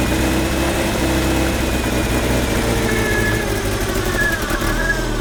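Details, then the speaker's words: 1978 Triumph Spitfire 1500 after first revival from long storage, during distributor adjustment with the carb idle not yet set: the idle wanders and stumbles with a lumpy, uneven beat. It is running rough, cause suspected but not confirmed. "but I just kind of want to just keep going with this distributor just a little more just to get it slightly smoother cuz that's rough that is rough"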